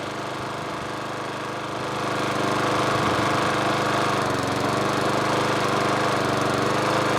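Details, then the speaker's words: Old dump-found mower, tank found bone dry, refuelled and primed, tipped back as height adjuster broken: engine catches after about two seconds then runs with lumpy, uneven chug; running rough, somewhat smoky. "let's give it some pumps what's first load up various loads of prime oh it's getting better all right that's what we get I've got tip it back because the height adjustment's broken well it's not very happy but it's running"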